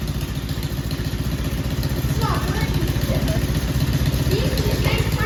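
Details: Four-wheeler ATV petrol engine after sitting 2-3 months through cold winter, battery problem, warm day: steady, slightly lumpy idle about four beats a second, keeps running; normal idle after storage.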